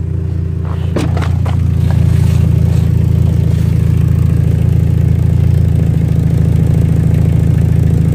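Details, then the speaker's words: Dodge Neon, first start after a clogged catalytic converter was replaced with a MagnaFlow high-flow unit and the exhaust leak fixed: brief clatter, then a steady, even low drone with no ticking or puffing; exhaust sealed. "So, they hooked the battery back up. Now time for his first start without the exhaust leak."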